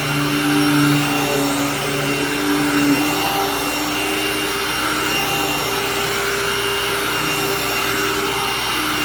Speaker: great machine just too loud for my liking because to me if I'm going to use a loud machine that has a Hoover logo on it might as well choose an elite at that point